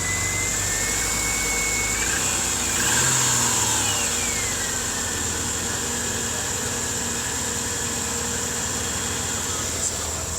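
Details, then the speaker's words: Subaru, after compression testing with cheap plugs and a poor battery connector: brief starter whir, catches, then steady even idle with no misses or knocks; normal start. "it's got the crap plugs in it now and the crappier battery connector sounds like a Subaru"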